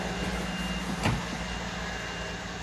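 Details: 2013 Mercedes GL550 (X166) after replacing AIRMATIC compressor and valve distribution block, which had buzzed loudly from front right on cold starts: even, steady low buzz with one click while airing up; some noise but normal running.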